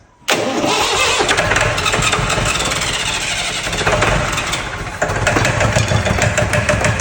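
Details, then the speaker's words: Fire-damaged Perkins diesel in 1989 Sambron D2000 telehandler, burnt in wiring-fault fire, cranked on WD-40 sprayed in intake; short crank, then catches abruptly and runs rough and clattery with uneven firing on the spray. "going to put a bit of WD for you inside the St therez she she did sound a little bit dry"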